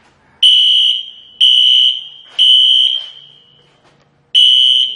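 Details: Fire alarm system sounding a temporal-pattern tone: shrill high beeps about one a second, pausing then resuming, still sounding before it is silenced.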